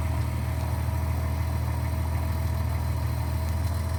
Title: 1997 Porsche Boxster 2.5 Water Pump Rattle Sound